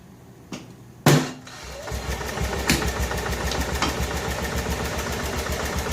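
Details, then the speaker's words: 1988 Club Car golf cart petrol engine after fitting a new carburetor and fuel pump, idle and fuel mixture adjusted: sharp start, then steady even idle with regular firing, no stumbling or surging. Before, it would not rev and starved; owner blames a partially plugged fuel line. "i have uh actually ran it and tweaked the carburetor and got it uh the uh idles all set fuel mixture all set and a run is good"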